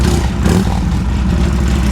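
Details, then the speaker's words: Harley Sportster with Hammer Performance 1275 kit and Dyna 2000i ignition: loud, steady deep V-twin idle holding even beat past where it used to die; fixed. "Fired right up as quick as I hit the button. And as you can tell, it would have already shut off by now."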